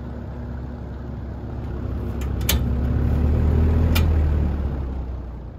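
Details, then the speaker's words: GE box fan motor after repair (broken winding soldered, heat-shrunk, windings coated in liquid electrical tape), running on high with the blade on; steady even airflow hum, no knocks or scraping; normal running. "but it's running just fine so I'll put the blade on and we'll be able to listen to it right"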